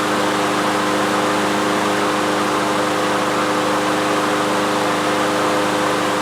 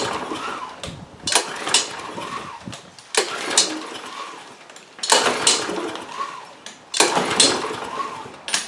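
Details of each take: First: Troy-Bilt TB360 mower, Briggs & Stratton Quantum single-cylinder engine, unused 3 years, after main jet cleaning, run with the air cleaner off to check the automatic choke: steady, even drone with no misses or surging; normal running. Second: Troy-Bilt TB360 mower, Briggs & Stratton Quantum engine unused for 3 years, on fresh non-ethanol fuel: repeated pulls spin it over good compression but it never fires; cranks but won't start.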